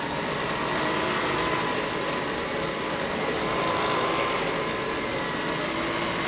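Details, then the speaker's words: Vintage Electrolux vacuum power nozzle, before the brush roll is replaced: steady rough whirring with an uneven flutter and no speed change, from the worn brush roll. "So, here we go. Let's listen to what this Lux sounds like before I change the brush roll."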